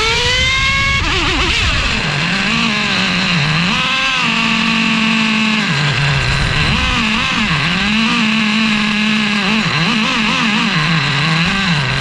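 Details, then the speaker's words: Traxxas Revo 3.3 nitro engine, first start after fitting THS Racing tuned pipe, no exhaust leaks: screams and surges unevenly at high RPM, sagging through each rev; sounds lean and bad. "The engine fires up. There do not appear to be any exhaust leaks. I'm looking around the pipe right now, but of course, it sounded fairly bad."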